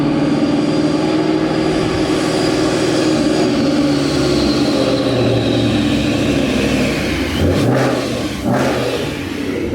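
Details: 2011 Mustang GT V8, after a Paxton Novi 2200 SL supercharger install on a base tune: an even, lumpy idle with a faint blower whine and two clean throttle blips; sounds healthy.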